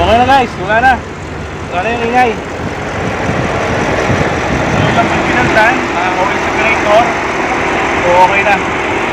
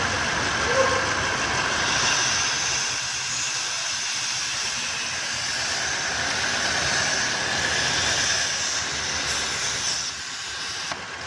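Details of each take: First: 2015 Audi A8 L, whistling PCV oil separator issue: smooth, steady idle with an even hum and no whistle or hiss under some outdoor noise; engine idling normally. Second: 2015 Audi A8 L at idle: steady high-pitched hiss with a faint whistle over a quiet idle; whistling noise.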